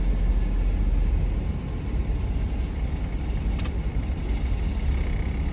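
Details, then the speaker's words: Chevy Astro 4.3L van with rain/moisture no-start (P1351), after dielectric grease on ignition connectors, cold rainy 50°F: started right up after a few clunks, steady even low idle rumble, no knock or miss; normal idle. "Started right up. A few clunk clunks, but started right up."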